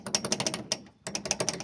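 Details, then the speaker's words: VW Fusca (Beetle) door shaken by hand gives quick, sharp clicks, about six a second, that stop with the hand. The outer door handle is missing its gasket; the door also lacks its internal window channel. "A parte de fora aqui tá faltando a guarnição nessa maçaneta."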